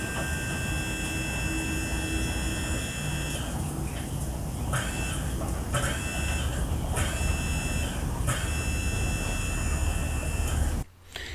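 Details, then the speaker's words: Audi A4 diesel in-tank fuel sender pump bench-tested, deliberately run backwards with polarity reversed: steady high electric whir, interrupted a few times, then cut off; reversing is suggested as a way to free a stuck pump. "there we go so I run it backwards a little bit as well"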